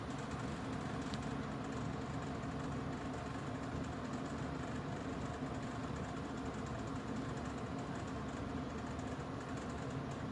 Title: Kolin Aircon Rattling Noise Issue 2